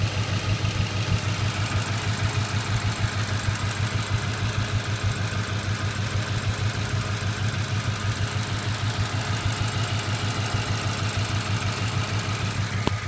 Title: Ticking noise